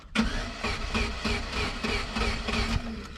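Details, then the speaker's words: Pontiac Sunfire 2.2 non-Ecotec with earlier highway miss, shot of fuel in throttle body: starter spins engine in even pulses, about three a second, never catches; crank no-start, owner suspects no spark, later traced to crank sensor/timing chain. "I'm betting she has no spark."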